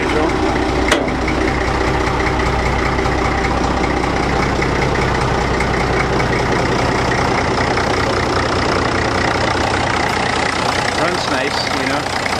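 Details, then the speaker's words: Old Case tractor used as a mower, big engine; brief crank then steady even idle, no knocking or stumble, doesn't smoke even cold; pretty healthy motor with good compression. "so pretty healthy motor sounds like it's got good compression everything"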